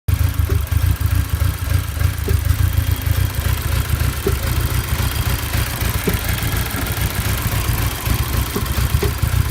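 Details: Audi A4 B7 petrol engine misfiring despite new coil packs and Bosch spark plugs, giving a lumpy, uneven idle with an irregular stumble. Later found the engine was done: cylinder 1 piston had a hole.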